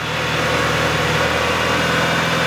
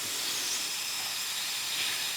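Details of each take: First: Mitsubishi EVO after work on its hunting idle, cold, about 1500 rpm: even, steady idle with a smooth low burble, quieter and no longer lumpy like a rally car from the exhaust; normal idle. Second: Mitsubishi EVO with idle hunting around 2000 rpm after a rebuild; a homemade boost leak tester is bolted to the turbo with the turbo-intercooler-cold-side piping sealed. Engine is off; a steady, high, airy hiss shows air escaping, a boost leak.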